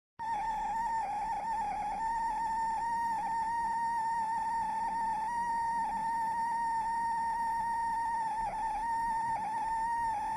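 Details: Dell Premier Wireless ANC Headset WL7024, bought May 2024, loud steady high whine near 900 Hz with a fainter higher tone while charging, also when powered on after charging; malfunction, unusable, warranty return.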